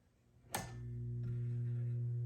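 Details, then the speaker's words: Stromberg Carlson 1121 PG console radio switched on before recapping: switch click then loud steady 60-cycle hum from a bad electrolytic filter capacitor. "you can hear that 60 cycle hum and really again this ideally you should fix all this stuff beforehand"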